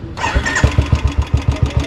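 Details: Old Royal Enfield Bullet single-cylinder at start and idle: a sharp tick on every firing pulse, about six a second. Less than one litre of engine oil found, about half a litre; ticking from oil-starved valvetrain, expected to be cured by an oil change.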